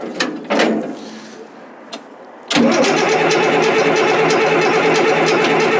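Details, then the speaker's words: Caterpillar 977L track loader, after short bumps: the starter spins the diesel steadily at about three turns a second while it smokes heavily but never fires. Lack of fuel is suspected, with fuel leaking and the prime being lost. "I'm really surprised that it's smoking so much but it won't run you know"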